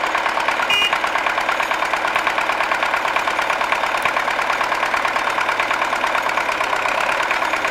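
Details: MTZ-80 tractor diesel after injection pump (TNVD) overhaul, idling with no load: hard rapid uneven clatter, knocking and running rough on a cylinder, yet runs smoothly under load per owner.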